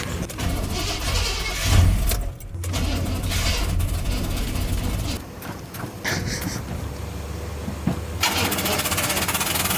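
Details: Truck that had died about five times in a parking lot; the starter cranks and the engine catches briefly, then falters and dies amid background noise; the cause of the stalling is unknown.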